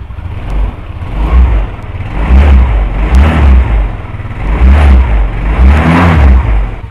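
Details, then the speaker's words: 2008 Yamaha Mio Sporty scooter, original belt fitted about six months earlier, stopped moving after noise from CVT: quick revs climb and fall freely with no drive; CVT drive belt snapped into pieces. "saya ini Bible nya putus Jadi ngeri nih sampai putus biasanya Paling retak-retak itu sudah harus kita ganti ini sampai nggak mau jalan sama sekali ya"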